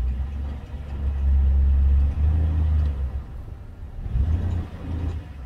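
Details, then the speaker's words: 2000–2007 GM truck with 4.8/5.3/6.0 V8, parked on a hill with front wheels elevated: low rattly rumble rising with each rev, fading at idle; broken starter drive shift fork lets the starter drive touch the spinning flywheel teeth. "i think it's the starter drive walking back into the flywheel teeth that's what i think"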